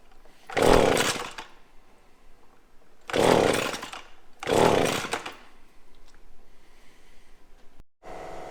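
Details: Echo PB-250LN handheld two-stroke blower after fresh fuel mix replaced old fuel: three short throttle blips each flaring then sagging back within a second, not holding revs; still bogging, carburetor needed adjustment.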